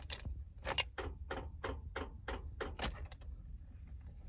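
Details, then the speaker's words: 2006 Toyota Tacoma V6 4WD: rapid single clicks about three a second with no cranking; battery terminals cleaned, jump failed, dash warning lights on; owner suspects failed starter motor after intermittent funny starts. "This is the sound it's making, if you can hear it. So it's a click, click, click, click, click, click, click, click."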